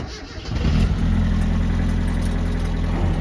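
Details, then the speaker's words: Supercharged 1993 Mazda Miata, clutch failed while drifting, cranked in neutral: starts to a low, uneven idle with a loose rattling chatter. Snapped clutch springs are suspected, not confirmed. "see that rattling i would assume that's my clutch those are your your fins what's that what are they called i have no clue springs i think oh they snapped they went they and they're rattling in your clutch bro"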